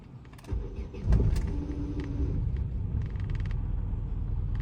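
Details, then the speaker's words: 2009 Opel Astra G, engine swapped to X16XEL, no-start after battery drain; donor X14XE ECU reset and programmed to the immobiliser: cranks briefly, catches, settles into a low slightly uneven idle with faint stumble, running rough because firmware doesn't match engine. "завалася підтраює конечно бо прошивка не її але ж Працює"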